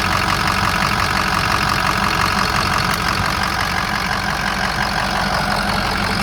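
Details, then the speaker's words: 2007 Ford F250 4WD, 6.0 diesel, 147,000 miles, idling: steady, even diesel clatter with smooth unchanging rhythm, no puffing or surging; no blow-by, no EGR or oil cooler pressure in the cooling system; healthy normal idle. "That's as good as it gets. There's no blow-by whatsoever. There's no coolant system pressure at all."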